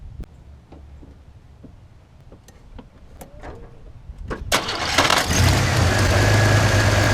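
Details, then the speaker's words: 1991 Chevy S10 Tahoe pickup after starter replacement and new distributor cap and rotor: quiet clicks, then cranks, catches and settles into a smooth steady idle; starts and runs normally. "It is running now. It's been running for about 5 days. I drove it to work today for the first time. It runs great"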